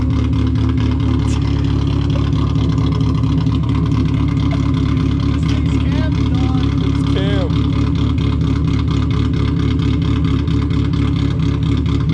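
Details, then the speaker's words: Cheap 1.8L Mazda Miata, possibly cammed, just started after sitting in a field on a weak battery, smoking, water present: lumpy loping rough idle, suspected running on only about two cylinders; burning smell noted. "i think he's only running off on like two cylinders right now [Music] the idol is really weird"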